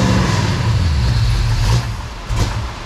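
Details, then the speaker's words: Engine for a 1969 Charger on a run stand with freshly wrapped headers and new ceramic plug wires, fuel lines initially not full; rough uneven roar sags, catches once more, then dies as it runs out of gas. Stall from fuel starvation. "It ran out of gas. That's what happened."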